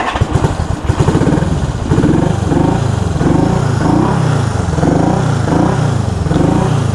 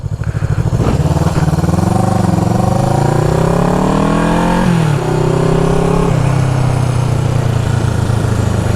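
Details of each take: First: 1974 Honda CB360 twin on a test ride after a points adjustment. Lumpy, uneven lope with bunched pulses and gaps as it revs: running on one cylinder. The left cylinder is dead because the points cover pushed the left wire in and grounded it, so no spark. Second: 1974 Honda CB360 twin after fixing the points that were grounding out. Pulls cleanly up through the revs, dips for a gear change, then holds a steady beat with no stutter. Normal: firing on both cylinders again.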